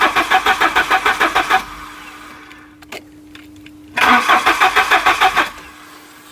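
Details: Volvo 740 petrol, unstarted for about 20 years, fresh super unleaded added: quick even cranking about three beats a second, never catches; fuel pump hums steadily between attempts. Crank-no-start; owner later suspects a stuck injector flooding a cylinder.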